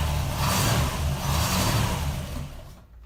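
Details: 1968 Rover P5B V8 running after fitting an electric fuel pump in place of the leaking mechanical one; an even, deep burble holds steady before it dies away, with no misfire, so it is fuelling properly.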